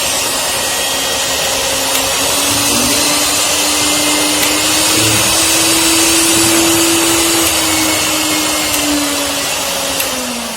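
Loud, even high-speed motor whine with a steady pitch and no knocking or rattle; the grinder motor runs healthy.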